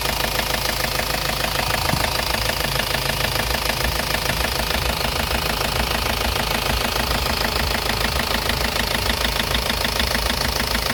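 Hard, even rattling knock of about 200 a minute at idle, loud and constant, a diesel knocking with no clear cause.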